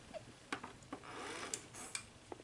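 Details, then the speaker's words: NEC Super Beta VCR powering on after repair, now mechanically working though hi-fi audio and recording still intermittent: quiet clicks and soft whirring spin-up as all motors come on; transport mechanism sounds normal. "see as you can hear that now when i power it on you can hear all the motors coming on"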